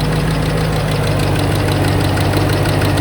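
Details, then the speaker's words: 3V (Q3 valve) S197 Mustang at steady idle: fast, even light valvetrain ticking; owner suspects cam phaser, no skipping at idle, one hiccup possibly from phaser; drove 40 minutes home fine, code not yet read. "pretty sure it's a phaser it doesn't skip at idle or anything it had one little hiccup but I think that might be due to the phaser issue"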